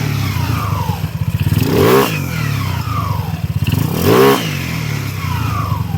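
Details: 200cc motorcycle after an engine upgrade and setup, done because the engine had become very noisy (suspected cracked block or crankshaft, cause never confirmed). Now in break-in on little fuel: steady idle with two clean throttle blips, no knock or rattle, and very quiet.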